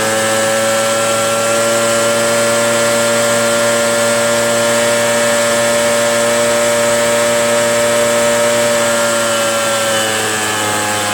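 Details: RedMax EBZ8050 gas backpack blower two-stroke after new piston rings fixed no compression (rings very tight, hard pull, hard start): steady high-pitched drone holding even revs with strong buzzing note, pulling cleanly; runs normally.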